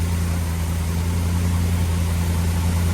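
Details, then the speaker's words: Big block Chevy running on a used lifter over a wiped-out flat tappet cam lobe, warming, oil pressure just under 70; deep, steady idle with no ticking or clatter, valvetrain quiet. "I don't hear any valve train noise at all. Sounds really good, but this is extremely risky, obviously."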